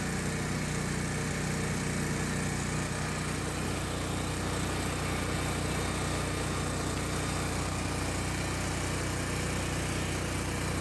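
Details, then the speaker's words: Generac 8kW standby generator's small single-cylinder engine run for 30-40 seconds after valve adjustment, new spark plug, oil, oil filter and air filter change, battery at 13.5 V; steady even buzzing drone, no knocks or misses; runs normally. "I'm gonna fire it up for about 30 or 40 seconds."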